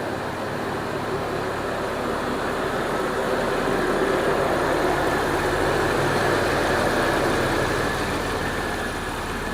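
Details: 2002 Jeep Liberty 3.7 engine after an engine swap: smooth, even warm idle with a steady low rumble and no knocks or misses; the engine runs great. Normal idle.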